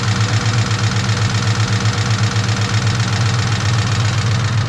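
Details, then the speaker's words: Mustang Cobra V8 idling just after spark plugs were regapped to .040 for a misfire: fast, light tick over the low rumble, from one side's cylinder head, not rod knock; cause unknown. "thing is it's definitely not like rod knock or anything it just sounds like it's coming from the head and i don't know what it is"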